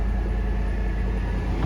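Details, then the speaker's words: Salvage-auction truck listed Trail Boss LT with Z71 badge, likely not started in a while, smoky on start: steady, even idle rumble with no knocks, ticks or misses; sounds good overall. "So it's just kind of, probably hasn't started in a while. Overall, sounds good."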